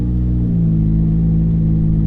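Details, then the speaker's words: Ferrari F430 F1, pulling away before the PIS (point of initial slip) clutch adjustment. Revs flare and hang high while the car barely pulls; the clutch slips substantially before engaging, with the engagement point set too loose. "the clutch engaged see how much it slipped it was pretty pretty substantial here we back up again yeah you can feel it slipping a lot here"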